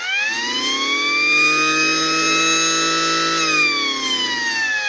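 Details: Gent mini mono mains siren with a waterproof cap sealing its top air inlet: steady shrill wail that sags in pitch near the end, as the blocked inlet alters the sound.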